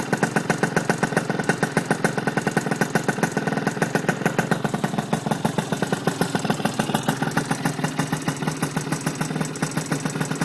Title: RS 80cc exhaust leak